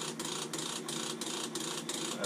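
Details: Navien NCB-240 combi boiler, fan restarting after power cycle in dual venturi test mode: fast rhythmic rattling tick about three times a second over steady hum, loud vibration; service wrench blinking, error code 60; cause suspected, not confirmed.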